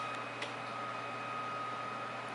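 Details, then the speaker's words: Repaired old 3000W inverter, four shot inputs replaced, running with some MOSFETs not yet heat-sinked: steady low hum with an even thin whistle near 1 kHz, no stutter or buzz; normal inverter operation. "And now, if I turn it on, I got a working unit."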